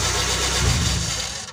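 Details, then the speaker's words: Kia Timor, engine hot after about 30 minutes of running, restarted after the starter motor switch was fixed (previously wouldn't start hot): starter engages cleanly, engine catches at once and runs evenly; normal hot start. "Yes, everything is running smoothly, so it's normal, yes, even though it's hot, it can still start."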